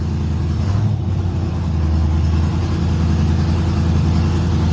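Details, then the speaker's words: Dodge Charger Scat Pack 392 6.4L HEMI on its first start after a Texas Speed cam install: a deep, steady rumble with an uneven, loping beat at idle; a healthy cammed V8 idle. "That sounded good. That sounded good. Yeah, she sounding good, bro. She is sounding good."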